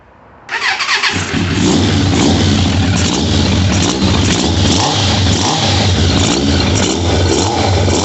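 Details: 1998 Suzuki Katana 600 four-cylinder after reseating a pinched constant-velocity carburetor diaphragm; catches quickly, smooth even idle with steady pulses, no stumbling; carburetion fixed, normal running.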